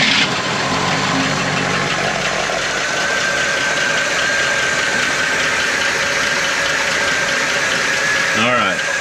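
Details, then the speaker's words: 1971 Cadillac Eldorado 500 cubic inch (8.2L) V8 barn find, running: even, steady rumble with no misses, knocks or ticks, idling well, but no oil seen coming from the pushrods. Normal idle. "big old nothing but she idle's good"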